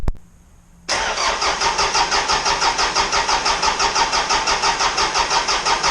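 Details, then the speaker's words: Isuzu 4BD2T diesel on initial startup after the fuel system was primed to bleed out air bubbles: a short crank, then it catches and settles into an even chug of about three beats a second; a clean start. Oil leaks were found afterward from the wrong-size crush washers. "there was a bunch of air in the system so I primed it until all the air bubbles came out once again so I'm hoping there's no leak somewhere in one of the injectors I'm hoping that's not the case but let's try this again"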